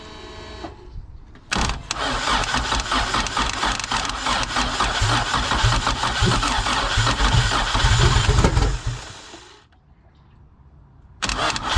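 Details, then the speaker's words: Freshly built turbo Honda Civic EG hatchback, first start after the turbo fab and charge-pipe install: quick catch, loud lumpy but steady idle, no knocks or ticks; check engine light, idle air control valve unplugged, VTEC code 21; runs fine. "hey it's alive and and it sounds good"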